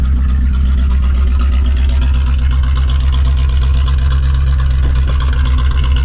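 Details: Cheap, just-bought Chevrolet Corvette C4 V8 at idle: a deep, loud, throbbing rumble with no muffling, because the rear mufflers are missing.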